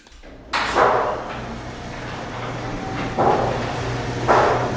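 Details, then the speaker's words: Steady low opener hum with a few soft thumps and no squeal or grating as a garage door runs quietly after rollers were replaced and the hinges, springs near the drums and track were lubricated. "Wow, immediately better. No screeches, no grating sounds. Wow, that is so much better right away."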